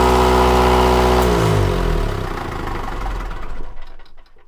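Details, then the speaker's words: Onan diesel generator on a 1979 Hatteras 58' boat, with fuel supply problems, after fuel pump priming: fires and runs with rough rising and falling speed instead of holding steady; owner suspects a little air in the fuel line. "I think it still has just a hair error in the line there with the surging."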